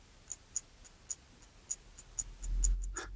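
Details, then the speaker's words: HTC Titan Windows Phone being flexed in the hand: sharp, dry creaks and clicks every few tenths of a second as the inner frame shifts inside the aluminium back shell; chassis creaking. "feeding my reliability paranoia listen to this creaking by the way"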